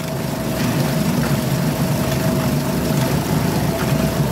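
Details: Suzuki DF2.5 2.5 HP outboard in water test after no-start repair, fuel valve and tank vent open: steady, even drone with faint constant high tone, no misfires or surging; normal running.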